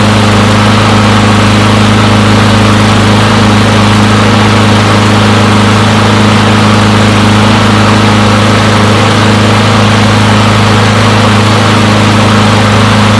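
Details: Push mower from a neighbor who said it wouldn't start; new air filter fitted, primer possibly faulty, not run in quite some time. Strong, even single-cylinder drone at steady speed with no misses or surges; normal running.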